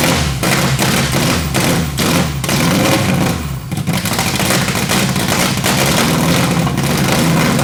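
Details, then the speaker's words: Turbo Honda Civic build on ECU Master standalone ECU, just started on starting fluid, engine believed 11:1 compression, mic near open exhaust: loud lumpy running with blips and one brief dip but keeps firing; normal running after first start. "yeah alright so as you guys seen it did just start on starting fluid and it sounds really nice it sounds like super mean"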